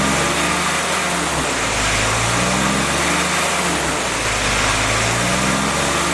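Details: Freshly rebuilt CJ5 snowblower Jeep F-head four-cylinder, original cam, revs swung up and down for break-in: even note, no knocks or misfires; healthy break-in run, only a small coolant leak at the block drain cock seen.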